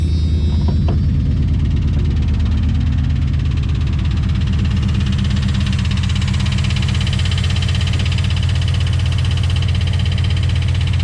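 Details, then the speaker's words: Dodge with a no-start condition, now running on a second PCM after ASD relay, PCM wiring and crank sensor work: it catches and settles into a steady, even low rumble with no misfire; runs normally. "All right, good. All right, doesn't sound too bad."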